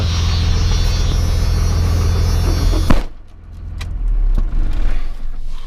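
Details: 1994 Cummins diesel with the timing and fueling set too far advanced, cold start at 22 degrees: heavy, uneven clatter and rumble, then it cuts out; rough cold start from over-advanced timing and overfueling.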